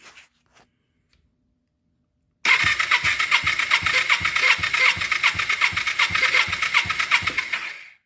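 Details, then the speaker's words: 2000 Kawasaki Ninja 250 that sat about a year, cranking cold with the carbs off during a compression test: the starter spins the twin at an even beat, about two and a half pulses a second, with a rough, scratchy whir; the long-idle starter is suspected. "Anyway, starter's been sitting a while, so that's why it sounds like it's making funny noises, but that will come around when we get some heat into her."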